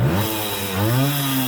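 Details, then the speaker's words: Vintage Honda MR50 two-stroke, warmed up, free-revved to big revs before a top-speed run. A crisp buzzing note rises and falls quickly with clean response and no misfire or bogging; a healthy, well-tuned engine. "to me it sounds smooth let's rev her up to big revs watch my hand go"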